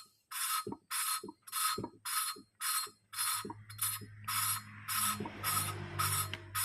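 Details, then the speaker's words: Motorcycle valve being hand-lapped in the smoothing stage, turned against its seat without lifting after grinding: gritty scraping strokes just under twice a second still sound rough, so the seat is not yet smooth and should quiet with more turning. "Kalau ini kan masih Terdengar agak kasar nanti kalau kita putar terus lama-lama akan ee lebih senyap suaranya istilahnya enggak enggak Seperti apa ya suara kasar gitu nanti lama-lama suaranya lebih halus"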